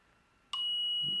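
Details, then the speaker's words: LadderLearn PLC analogue input from a 10k pot module with output wired to a continuity tester: silence, then a faint relay click and a steady high beep as voltage drops below 5 volts and the output switches on. "If I just connect this to a continuity tester, which I have here, as I vary this, and you see it gets below 5 volts,"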